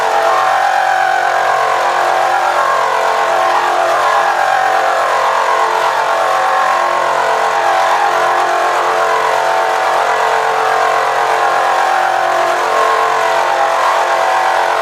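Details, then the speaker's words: Milling a fixture plate with a Niagara end mill, power feed slowed to about 2.5, cutting only a single remaining piece of material: steady, even mid-pitched hum without squeal or chatter; smooth milling cut. "that's pretty quiet right there because it's it's only the material left it's just above one piece of material"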